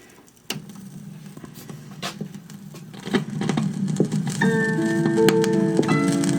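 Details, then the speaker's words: Sound Design 6821M all-in-one stereo with dual cassette and top turntable, playing a rough Meat Loaf Bat Out of Hell record: playback slow and warbly, dragging and smeared over a steady rumble; turntable speed fault, cause unconfirmed, transit clip missing. "slow sounds like meatloaf has a mouthful of marbles"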